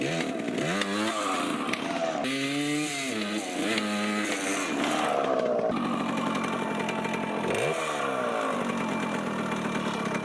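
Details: 1980 Yamaha GT80 two-stroke, run after cleaning the carb and gas tank: crisp, buzzy engine climbing and dropping through the revs and picking up cleanly each time; runs healthy.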